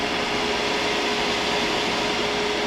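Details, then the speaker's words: Dell PC with Athlon 64 CPU at power-on: steady loud fan rush stuck at full speed, no beeps, power light orange, CPU stays cold; bad motherboard. "doesn't look like it fans running full speed that's usually a Telltale sign that there's a motherboard problem or a ram"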